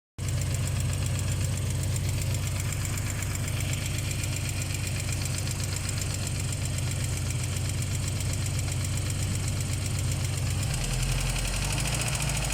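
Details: UAZ with ZMZ-409 engine, cold idle: fast, even light ticking over a deep rumble, gone when warm. Owner suspects hydraulic lifters (lash adjusters), unconfirmed.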